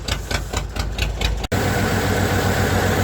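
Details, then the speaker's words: Derelict 1992 Ford Flareside six-cylinder, running on its own fuel at 57 psi fuel pressure, still warming up: idle lopes with uneven exhaust thumps like an old tractor, not hitting on all six cylinders; misfire, smoothing out slightly as it warms. "sounds like an old tractor out back of the exhaust that kind of tells me it's not hitting on all six cylinders"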